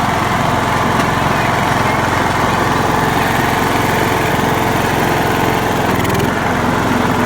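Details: John Deere LX172 with carb fuel solenoid hot-wired to battery: loud steady single-cylinder drone with even beat and no misses or surging; runs normally.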